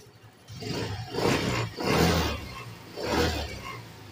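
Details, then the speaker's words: Yamaha Mio Gear scooter, odometer about 4000, fuses checked, won't push start: engine flares in short bursts and dies three times without holding idle; brake switch works. "a patay na naman wala na naman patay na naman patay na naman ayaw na mag-start ayaw ng magstart"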